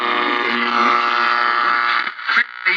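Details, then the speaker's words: Old battery-powered radio from estate sale: hisses and buzzes with crackly static, cutting out in bursts and returning; intermittent buzz and static from bad battery connections. "All right, this is going to be an easy one. Just got bad connections here."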